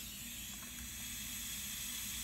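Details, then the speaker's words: Diverter valve on bench test at 20 psi, adjustment run from fully open to fully shut: constant high-pitched hiss of escaping air with no change from adjustment; valve leaking badly past its seal. "Absolutely no difference whatsoever. It's leaking pretty bad out through here."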